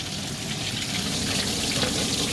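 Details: DIY bakki shower pond filter of three 51-litre boxes, media only in bottom tray, spray bar working: constant loud hissing splash of water falling through bare trays; noisy because no media in there yet.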